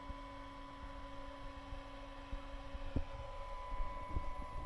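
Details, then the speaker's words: Orange AD200 MK3 200 W bass valve amp head on the bench, driven into a hot-plate dummy load at about 1.18 A, no red plating: steady low whoosh of fan spinning flat out with faint mains hum, smooth, no rattle; normal cooling fan under load. "The fan is going at it hammer and nail, as you can hear."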